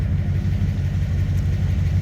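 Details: Newly installed V8 in a Ford Ranger, running with fresh zero-lash pushrods and wideband fitted: deep, even rumble at idle with steady beat, no miss or tapping; normal idle.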